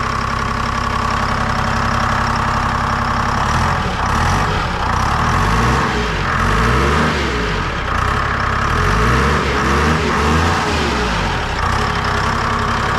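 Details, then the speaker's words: Lull telehandler Detroit Diesel 3-53 two-stroke after the starter wiring was cleaned up: catches after a few seconds, first start ever without ether, settling into a gruff, even beat with no misses; normal idle. "It's the first time that's ever started without ether. Ever."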